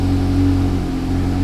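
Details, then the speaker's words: Car engine after refitting the leaking intake manifold, found with a doubled gasket on one side, long crank before starting: smooth, steady low hum with a constant tone and no hiss or ticking; running cleanly, normal running. "Yay, it's fixed! Hooray! Alright, I feel much better about that."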